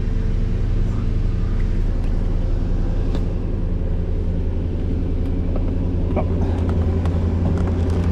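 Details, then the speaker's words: 1991 Mercedes 500SL, 39,000 miles, warm at about 82 on the temperature gauge, in drive (should be about 550 rpm): idle hangs high and steady, slow to drop back to normal; owner suspects heat and a sticking throttle linkage despite two new idle control valves. "Okay, so the idle is still high to about at the 82 mark. There it goes back to normal. See how it's hanging up?"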